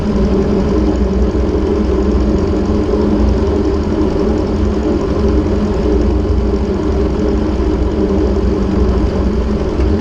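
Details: Ford 600-series (640) tractor, abandoned a decade, after new intake/exhaust manifold and vertical exhaust installed: steady low, even idle with a smooth regular beat and no knocks or misses; engine sounds healthy.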